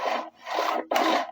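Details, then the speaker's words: SOREPCO GTX SB 151 A brushcutter with Sachs engine, refitted recoil starter: three quick rasping pulls, each rope cleanly rewound without catching or slipping; works perfectly. "ça fonctionne impeccable"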